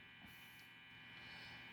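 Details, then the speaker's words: Crunch Xtreme pedal, effect off: steady high-pitched buzzing whine with a low hum that stops when the isolated 5 V digital circuit (microprocessor and OLED screen, fed by an isolating DC-DC converter) is disconnected; noise from the digital section despite separated grounds. "if I disconnect the the five volt circuit the noise will stop so is definitely the digital part that is doing this noise"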